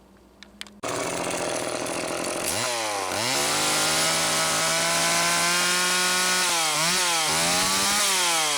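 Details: Late-model Homelite Super 2 chainsaw after carburetor-mounted oil pump servicing, test run: fires up and holds a steady high-pitched run with a couple of throttle blips, clean and even; normal running.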